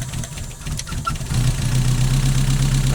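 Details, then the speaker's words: Mazda MX-5 with a misfire that is worse when cold, at idle, during a cylinder balance test pulling HT leads one at a time: idle sags then recovers. RPM drop is very obvious on cylinders 1 and 2 but not on 3, so cylinder 3's coil pack is being replaced. "fairly obvious there, right? Not so much on number 3. Very obvious on 2. Or not very obvious. Yeah, it is very obvious on 2. And very obvious on 1."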